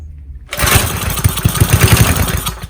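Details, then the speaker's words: Old McLane lawn edger with Briggs and Stratton engine, recoil start on starting spray, choke off, oil low: sudden two-second burst of rough low popping, then it dies; fires briefly then dies. "Oh, yeah. Recoil starter's a bit naff. But it did something."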